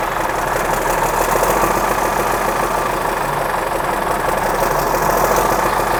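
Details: 1963 Mack F600 old diesel, owner thinks an early C six-cylinder, just fired up after checking fuel prime; oil pressure coming up through the big filter. Steady even idle with light turbo hiss, no knocks or misses: normal healthy diesel idle.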